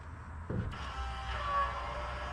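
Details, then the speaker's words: Electric fuel pump powered directly from an 18-volt drill battery to re-prime; steady electric buzz with faint high whine, no stutter, reaching about nine psi from excess voltage; normal fuel pump running. "hear it now already got fuel see nine pounds that's because it's got too much voltage"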